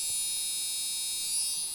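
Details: Gigabyte GA-965P-DS4 rev1.0 PC motherboard beeper gives a steady, thin, high-pitched continuous buzz at power-up. It stops when the beeper is unplugged; the board won't boot with RAM in slots 1 and 3.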